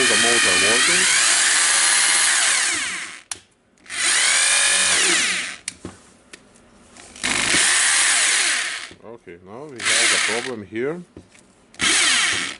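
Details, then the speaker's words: Hitachi (Hikoki) DH22PH hammer drill after reassembly: spins in several bursts with a smooth steady whine but no rapid hammering blows; hammer action stuck and not engaging, cause not yet found. "and we have the problem on a hammering so we need to check it again yep it's just stuck somehow"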